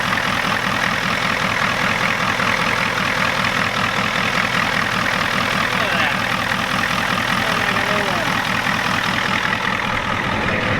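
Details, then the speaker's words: 1993 Ford F-250 7.3 IDI diesel, hot, after the injection pump was turned up and air purged from the fuel; steady, even idle clatter with no misses or stumbles, running smooth with no air in the fuel. "Definitely sounds better. Oh. You getting air in the fuel? Sounds like she had no air in the fuel."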